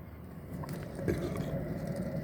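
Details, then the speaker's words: Car jacked up, wheel spun by hand; low gravelly rumble with vibration felt in the palm: worn wheel bearing rumble. "Tuh kan, gemuruh kan. Lagian kalau dipegang pakai tangan tuh terasa ya, tuh ada apa, kayak ada getaran nih kalau saya pegang tuh di telapak ada getaran nih."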